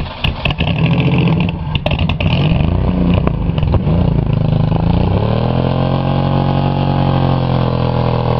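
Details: Buick 3.8 (3800) V6, blown during a crash-a-rama, run with oil pan and one connecting rod removed, hole in block and little oil: harsh clattering revs then loud, rough, uneven run with heavy knocking; lasted 1 minute 3 seconds, smoking oil, possibly threw another rod.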